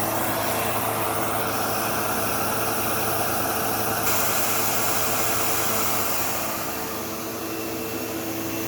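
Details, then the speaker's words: Sebo Automatic X5 upright vacuum on carpet: constant harsh buzz over the motor hum, sometimes a squeal like a slipping belt though the belt has tension; problem in the brushroll area. "Yeah, so I don't know if you could hear how bad that buzzing sound was. And like I could even sometimes hear like a squealing noise, almost like a belt slipping, even though there's no belt in this."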